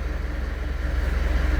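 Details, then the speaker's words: Fuso Canter diesel truck with rising coolant temperature gauge (thermostat removed and refitted, sensor already swapped), in neutral after start: low, smooth diesel rumble settling into even idle, no knocks or misses; normal idle. "Yan, okay na. Sa taas. Ayos naman sa taas. Start. Andar naman, maayos."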